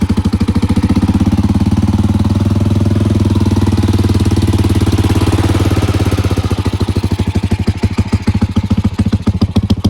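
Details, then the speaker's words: Small single-cylinder engine on a custom bike, just refitted, starting well: quick, fairly even idle that settles slower near the end; idle seems set high, owner suspects the front fuel/idle adjustment screw. "I tucked everything in nicely and it does start really good it might have a a high idle right now I need to still figure out that it's got to be the uh fuel adjustment up in the front for the idle screw"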